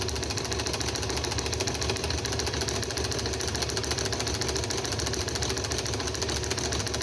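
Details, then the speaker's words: Wico XH magneto off a John Deere two-cylinder tractor, overhauled and spinning on a magneto tester with a spark gap, impulse clicking audible. Crisp, regular snapping at about three per second with no skips; strong, healthy spark. "hopefully we should see a nice blue spark right there and right there and like i said earlier you you may not be able to see it but you should for sure be able to hear it there you go that's good"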